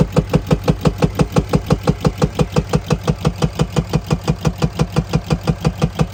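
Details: 2020 RAM 2500 Cummins diesel with a heavy, evenly spaced knock about three times a second over the idle, plus black exhaust smoke when revving and misfires; cause not yet diagnosed.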